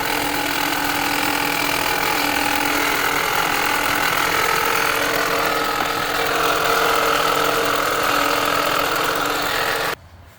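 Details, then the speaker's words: 2020 Ford Escape 1.5 at idle: constant high-pitched whine, heard mostly at the alternator, which the owner first thought was the water pump; the cause is not confirmed. "We're hearing most of her coming out of the alternator. I thought it was a water pump."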